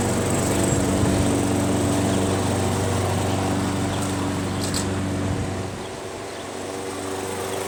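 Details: Craftsman 21-inch self-propelled mower with 6.5 HP Tecumseh engine, after a carb clean removing gum: steady, even buzzing with no surging or sputtering, dipping slightly then recovering and holding speed; normal running.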